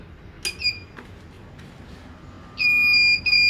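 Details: 1000W pure sine wave inverter that looks genuine, starting a 1/2hp motor pump: a short shrill beep, then a steady high-pitched alarm about a second long, twice, as it trips; overload alarm, failed start.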